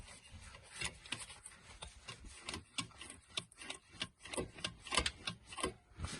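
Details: Dual-mass flywheel on a 2009 Ford Mondeo Mk4 2.0 TDCi diesel, gearbox removed, turned slowly by hand: irregular dry rasps and clacks about twice a second, suggesting loose play inside the flywheel; owner's complaint was idle vibration, cold and warm. Suspected, not confirmed.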